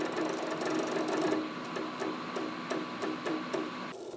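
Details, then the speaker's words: HP xw8600 workstation, Windows 7 Professional, booting: rapid uneven clicking and chattering about four bursts a second over faint hum, then stops; hard drive thrashing while seeking. "And the hard drive's still thrashing, so the password the guy gave me for the default is not working."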